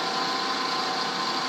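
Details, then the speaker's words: Drill boring a bronze mug case. A steady, harsh rattling buzz is bit chatter from dry, clogged cutting, a sign to back the bit out and apply lube. "that if you hear that that chattering noise that's good sign to back up your"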